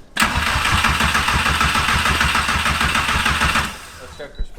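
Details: First start attempt after four-year 1.8T project, fuel pump heard priming: even starter cranking, roughly three turns a second, for several seconds without firing. No spark found; suspected VW immobilizer disabling spark, not confirmed.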